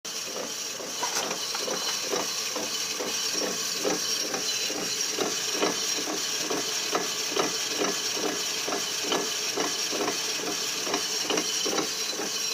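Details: 2004 Nissan Quest SL: steady rhythmic knocking about two per second over hissy background, reported as grinding; front drive axle not seated in transmission, fixed by tightening the hub nut with a torque wrench.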